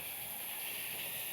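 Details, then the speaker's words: Ice bath chiller filter casing refilling with water via the red button after reconnection: steady, even high-pitched hiss of air escaping; normal, stops once the casing is full. "we're then going to fill the filter casing back up with water by again pressing this red button. I'll take my mic off. You can hear it hissing."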